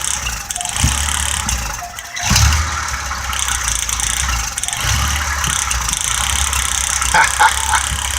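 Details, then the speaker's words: Older six-cylinder car fitted with a vacuum hose in place of the coil wire: sharp irregular snaps and crackles over a rough low idle as spark jumps from the coil lead through the carbon to ground. "keep it jumping spark up there you hear that you see it hear it"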